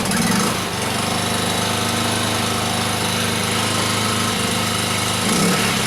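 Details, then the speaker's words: Briggs & Stratton P2200 generator, started on its first fill of gas: steady buzzing drone at constant speed with no surging, hunting or knocking; runs normally and quietly (box rating 59 dB at 7 m). "pretty quiet okay according to the box it's supposed to be 59 DB at 7 me"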